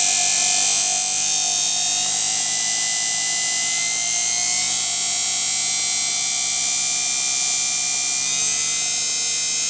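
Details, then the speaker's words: Washing machine motor on a speed controller with Hall-sensor tachometer, revving up from about 1000 rpm: loud, steady high-pitched whine creeping upward, smooth and even; healthy motor spinning fast. "Прибавляем. По звуку двигателя слышно, что двигатель набирает обороты."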